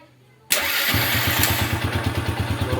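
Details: Yamaha Vega ZR/Jupiter single-cylinder motorcycle during checks of a no-electric-start fault and the charging and battery wiring: brief starter whir, then it catches at once and settles into a steady, even idle thump, about three beats a second.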